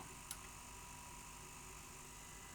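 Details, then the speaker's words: Sanyo VTC-M40 Beta HiFi video recorder in Play: a sharp click, then a quiet, steady mechanical whir as the tape laces. This is the normal lacing noise, as these machines are always noisy at lace. "Play. They're always noisy at lace"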